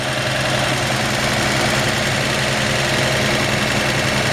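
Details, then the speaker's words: 1954 Chevy 5-window pickup, still warming after short drive, automatic choke: even steady smooth idle, slightly high; healthy engine, idle could be turned down a hair. "Nice, healthy engine. And I haven't driven the truck a lot. I'd say if I had a little screwdriver on me, I'd just turn the idle down just a hair. But man, you can hear just how nice and smooth it runs."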